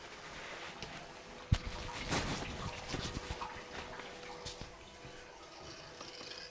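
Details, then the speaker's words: 2013 Mitsubishi Fuso FG no-start truck, fuel leak fixed, key cycled to prime: faint steady fuel pump hum with irregular gurgling and bubbling; air passing through the pump, no fuel yet, no leaks seen. "I hear air bubbles going through the pump. Hear lots of air bubbles going through the pump."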